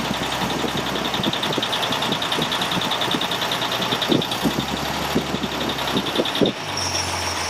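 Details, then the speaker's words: Toyota FJ40 2F engine on its first start after machining and rebuild, with Holley Sniper EFI and Hyperspark: steady light tick like a knock, confirmed by stethoscope as timing gears settling in; timing gear tick. "on the first start here that we're doing you can hear a tick that sounds like a knock uh what that actually is i checked it with a stethoscope at the time it just didn't show up on camera it's the timing gear settling in after being pulled apart"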